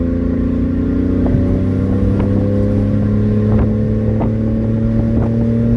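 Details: 1994 Honda Acty 4x4 truck, 660cc three-cylinder gasoline, 5-speed manual, 114k km: loud raspy drone with sharp puffing ticks every second or so from an exhaust leak ahead of the muffler.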